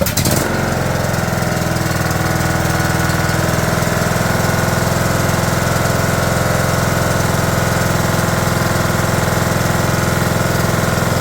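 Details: 2011 John Deere D110 mower, engine reassembled from boxed parts, restarted off choke, throttle cable not hooked up, expected to smoke: steady even single-cylinder thump at constant speed, no knocks or misses; runs good.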